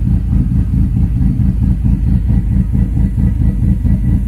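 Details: After setting base timing on a Link Fury ECU, idle deliberately tuned lumpy via timing: loping idle with an uneven low beat of about ninety per minute and no stalling; an intentionally cammy-sounding idle tune.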